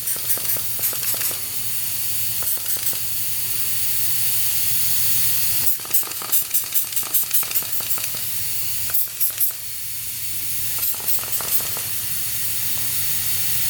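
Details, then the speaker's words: 1995 Honda CR250 two-stroke cylinder under a pressure leak-down test: a steady hiss of escaping air with a few handling clicks. The air leak is at the power valve. "oh look at that yeah power valve area that's weird huh so we have an air leak at the power valve"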